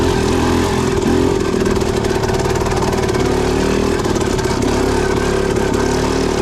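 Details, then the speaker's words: Suzuki RM250 two-stroke with a Lectron Pro Series carburetor and light flywheel weight of roughly 6–8 oz, ridden as slowly as possible in second gear to test lugging. Chugs steadily without stumbling, popping or sputtering. Normal clean low-speed running. "Alright, so I'm trying to go as slow as I can in a taller gear, second gear, to see if it will stall or gargle, and so far so good. Feels really good, no hiccups, really clean delivery, and it's just chugging along like a 4-stroke."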